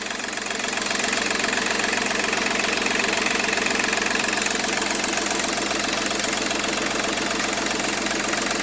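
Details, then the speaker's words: Seat Ibiza 1.4 TDI three-cylinder turbo diesel with 205,000 km at idle: even clatter with steady regular beat, no uneven knocks or misses; runs like a new engine. "Vedete, questo è un motore che ha 205.000 km, ma veramente gira come un motore nuovo. Seat Ibiza 1400 turbo diesel, 3 cilindri."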